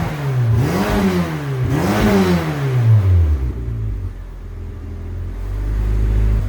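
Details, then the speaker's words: Turbocharged AWD Honda Civic EM2 first start after turbo install with 1000cc injectors and new 3-inch unbaffled exhaust; engine blips then settles to a quiet, even low idle, spitting out condensation; normal idle. "Yeah, it's got to spit out all that water, all that humidity and condensation. But it sounds good, dude. What do you think? Can't even hear it."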